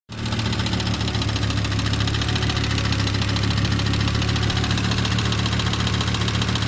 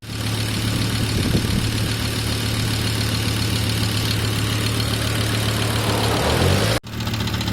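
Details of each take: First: 1997 Volvo 850R, 150k miles and 23 years old, at idle: a loud, fast metallic ticking over a steady rumble from oil starvation at the head. Worn oil sump seals were suspected; an O-ring kit quieted the noise. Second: 1997 Volvo 850R, 150k miles, 23 years old, idling after oil sump pan O-ring seals were replaced over a knocking noise: a steady, even hum with no sharp knock; the new seals quieted it.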